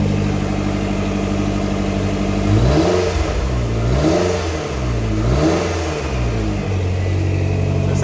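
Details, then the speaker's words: Lotus V8, oil now circulated, earlier engine knock gone: smooth idle with three clean revs settling back, deep V8 sound; normal revving. "So the engine's running really sweet now. Compared to what it was the other day with the engine knocking and kind of bedding in where the oil was circulating around. It's now got a nice deep V8 sound to"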